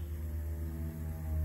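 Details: Land Rover Discovery XD, replacement fuel pump hot-wired through the ignition switch and powered by a jump pack after a mouse-chewed fuel line was replaced: smooth, steady low hum with no surging or rattle, pump running normally.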